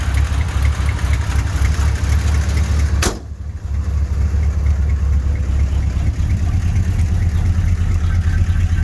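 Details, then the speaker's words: 1983 GMC C3500 one-ton 2WD with 350 V8, started after sitting a while: lumpy, uneven idle with a loping low beat that never settles; running rough, cause not yet known. "Sounds like crap. We're going to address that later."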